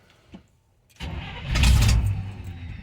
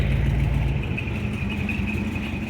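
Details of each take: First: 1971 Chevy C10 with rebuilt carburetor, sat for a while, cold start: long cranking, pause, more cranking before catching into a rough run while choke is adjusted; hard cold start, then runs well. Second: 1971 Chevy C10 carbureted V8 with a freshly rebuilt carburetor, sitting a while, started cold using the choke: it fires right up into a deep, steady burble with even firing and no stumble, a normal idle.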